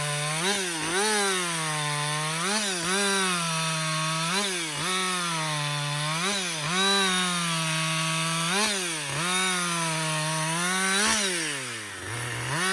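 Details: Husqvarna 562XP 60cc chainsaw after dealer software reflash for dying when hot, bucking windfall; strong, clean high scream through each cut, slight dip under load, crisp recovery. Normal running under load.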